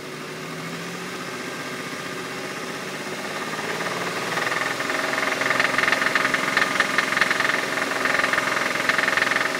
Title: Weird noise on Infiniti G35 '04 coupe